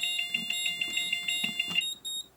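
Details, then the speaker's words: Moose Z1100e security system demo briefcase, fire zone triggered by flipping the smoke detector switch; rapid repeating high beeps, about six per second, at a steady pitch, then cut off. "I'll show you what a fire zone sounds like so we'll flip the uh smoke detector switch over here got an auxiliary alarm going"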